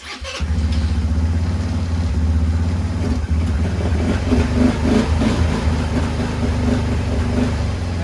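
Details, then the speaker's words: Chinese ATV after swapping the start/light switch, starter button not cranking: once running, steady even low putter with no knocks or misses; normal idle. "you know the good thing about it is now it does run check this out"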